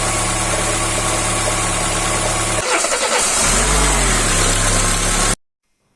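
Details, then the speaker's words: Car engine idling with a smooth, even hum after oil is added: the rocker-arm cracking heard before disappears, showing the importance of oil distribution to the valvetrain. "vous allez maintenant voir quand je mets de l'huile et là le sens disparaît"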